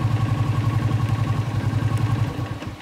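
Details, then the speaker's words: Yamaha Exciter with an aftermarket charging regulator and LED lamp fitted, battery disconnected: runs at high throttle, but the steady thumping idle fades and dies within seconds when the throttle is closed; stalls from a charging system fault. "Vẫn nổ bình thường ha, giữ ga lớn vẫn nổ bình thường. Nhưng hạ ga nhỏ nó sẽ tắt máy."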